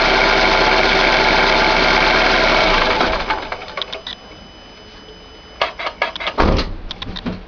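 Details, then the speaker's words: 2011 Chevrolet Classic at idle: bearing-like rattle/whir with clutch pedal released, vanishing when pressed; clutch and release bearing already replaced but noise persists, cause unknown. "Vou mostrar pra vocês aí um barulho chato que tem no Classic 2011 aí. Você aperta o pé na embreagem, o barulho some, você solta, o barulho volta."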